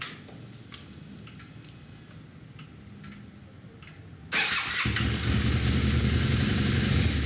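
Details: Early Harley-Davidson V-Rod after installing a Tri-Starr fuel level sender, started to check for fuel leaks: catches at once and settles into a steady, even idle around 220 pulses a minute; normal start and idle.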